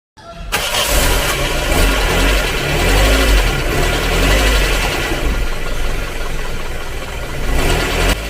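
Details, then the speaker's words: Vintage Toyota Corolla with an upgraded 6 lb reduction starter replacing the 10 lb original: a brisk, strong crank, then the engine catches quickly and settles into a steady run. Normal starter cranking. "So at least narinig nyo na guys yung difference ng tunog ng dalawa."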